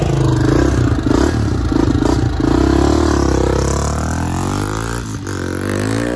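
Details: 1987 Honda XR250 single-cylinder four-stroke on the bench, good compression. Crisp rev rising and falling cleanly with the throttle, no knocks or rattles; engine healthy, runs 'like a Swiss watch'.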